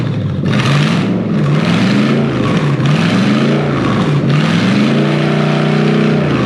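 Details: Toyota 3UZ V8 swapped into a 2005-2015 Hilux, rechecked after jumping 12 V to the airflow meter and clearing codes: revs climb and fall cleanly through repeated blips with no stumbling, running clean.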